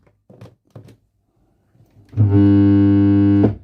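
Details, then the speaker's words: Fender Princeton Chorus 2x10 solid-state guitar amp powered via current limiter with speakers connected: loud steady mains buzz for a second then abrupt cutout; main smoothing capacitors dry-jointed with broken snap-in tabs, plus no signal from input. "we can see straight away there we've got problems. Now there's no current, excessive current being drawn there, and if I there we go. So these capacitors are dry jointed."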